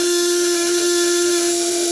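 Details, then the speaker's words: 12V contact-point (platina) inverter under 200–1000 W load, without upper adjustment: loud steady buzz near 350 Hz with rough wavering edge as the points vibrate erratically; missing upper adjustment causes uneven contact vibration. "tanpa settingan atas getarannya masih liar platinanya kita paling settingan atas"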